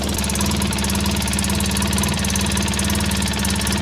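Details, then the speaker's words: 2003 Polaris Sportsman 600 idling after starter connection fix: fast, sharp ticking puff in time with firing from a cracked exhaust Y-pipe, possibly why it warms up slowly and needs choke; exhaust leak. "Ah, there it is. We got a cracked Ypipe. very common on these things."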